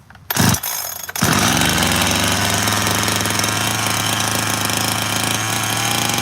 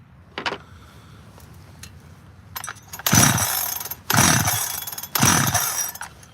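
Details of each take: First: Freshly completed 86-series chainsaw: catches, then holds a fast, even buzzing idle well above a normal tick-over; the high-idle setting was on, fixed by backing the idle all the way off. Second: 86 chainsaw after the high idle was backed off and debris was cleared from behind the clutch cover: three sharp throttle bursts about a second apart, each revving cleanly and returning to a settled idle. Normal running.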